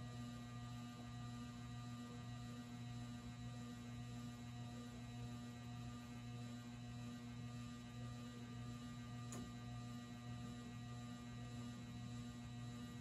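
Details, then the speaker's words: Rare late-1970s/early-80s ERS American Art Series ceiling fan at an intermediate speed: steady low electrical hum with a faint buzz; the motor always grumbles at this speed but becomes silent at full power. "let's turn this up a bit and now you can see it's complaining even more it always does that for whatever reason so i'm not going to run it on this speed too long just because of that"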